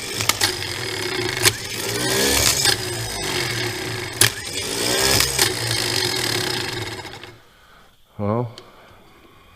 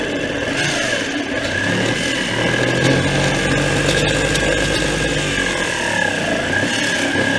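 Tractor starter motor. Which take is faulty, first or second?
second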